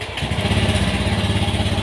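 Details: Honda Beat FI scooter engine catches and settles into a steady, even idle with regular low thumps, no misses or knocks; normal running after a no-start-on-starter complaint traced to a faulty (new) battery, not the suspected pin-4 relay.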